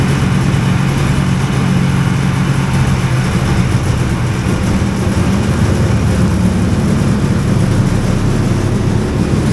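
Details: Hovercraft engine held hard at high revs while trying to lift: a dense, even roar with a rough, loose rattling edge throughout; it then ran out of fuel without lifting.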